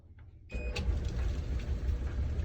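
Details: Maytag dryer after replacing support and tension rollers for an intermittent squeal: switches on and settles into a steady, low, even rumble with no squeal or squeak; normal operation.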